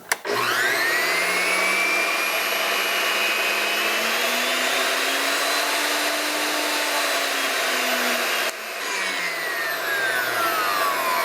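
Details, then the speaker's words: Repaired Delta 37-070 jointer motor, after testing a non-linear speed potentiometer: spins up to a steady high whine, even pitch, slight dip near end, no grinding; runs fine, bearings likely next to wear. "without any problems. I think the bearings will be the next to go, but otherwise it's in good shape."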